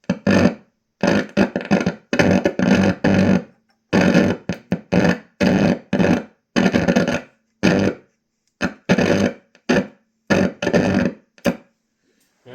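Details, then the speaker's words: 1988 Peavey Rage guitar amp: loud bursts of harsh crackling cut in and out irregularly, about one a second, then stop; owner suspects a cracked board trace or cold solder joint, possibly the headphone jack; reflowing joints made it worse. "Alright, so it's still doing it. What would cause this? I got no noise this time. That's weird. You hear how it stopped? I think it's the headphone jack."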